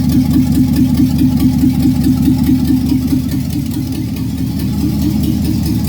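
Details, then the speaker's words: 5.3 LS V8 in a C-10 rat rod, first run, no exhaust and no O2 sensors fitted: loud, raw, even exhaust pulses at a steady idle with no ticks or misses. The truck hadn't run in about 20 years; a healthy idle. "Not running for at least that I know of probably 20 years. Finally heard it run."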